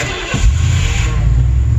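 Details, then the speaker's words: Ford F150 with Holley Sniper EFI after 2,000 miles, push-button keyless start: brief crank, then catches at once into a strong, even rumble with no stumble. Starts reliably every time. "starts every damn time it starts every time"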